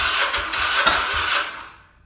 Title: 1979 Yamaha XS400 won't start